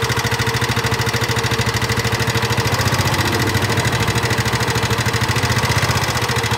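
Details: Nmax (2019) scooter, engine recently repaired with piston and block replaced per owner, still rough. Fast, even ticking over a rough steady idle; mechanical knock in the engine, cause suspected, not confirmed.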